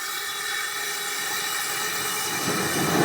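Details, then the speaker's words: Amal gas forge burner choked up to a lean, oxidizing, hotter flame, burning in open air on fairly low pressure: steady even hissing roar, no popping or sputter. Normal burner roar, lean flame. "That sort of flame will be much hotter. But you'll have an oxygen-rich environment inside your forge."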